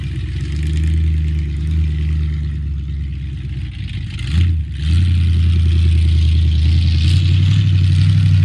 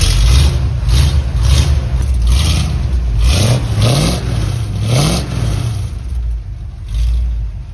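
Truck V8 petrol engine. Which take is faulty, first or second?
first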